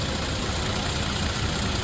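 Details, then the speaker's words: Toyota Tacoma (2016–2023) fully hot after a 20-minute freeway drive at 80 mph, following an oil change to Amsoil oil and filter: smooth, even low idle hum with no ticking or knocking; whisper quiet. "I mean, this is as heat as it's going to get. It sounds beautiful. Um, I'm I'm extremely satisfied."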